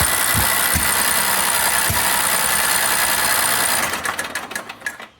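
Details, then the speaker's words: Recovered riding lawn mower on a borrowed battery: fast, steady cranking for several seconds, then a few weak pops and it dies without catching; owner suspects worn piston rings and low compression, with spark and fuel present. "Donc, pas assez de compression, ce qui fait qu'il part pas. À mon avis, c'est cuit."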